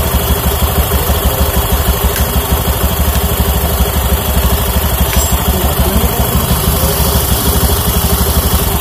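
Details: Honda Beat FI scooter after CVT service, clutch noise gone, drive belt kept: even idle beat around three pulses a second, light underlying roughness but no loose rattle; normal idle.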